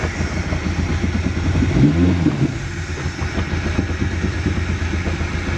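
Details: 2017 Mercury 90 hp four-stroke Command Thrust outboard, 6-beep alarm/guardian mode: low uneven idle that lumps, stumbles and shakes; faulty idle air control (IAC) valve found.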